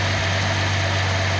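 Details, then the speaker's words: Nissan L28ET at idle after manifold gasket repair, one injector deliberately disabled to show a miss; faint stumble each cycle as that cylinder drops out. "I'm gonna disable the injector. You should hear it miss."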